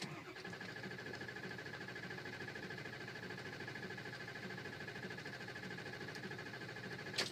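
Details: Ford F250 6.0 diesel, warm engine after running: even starter cranking about three beats a second never catches; stumbles then starts when cold but won't restart after warm-up. Hot no-start.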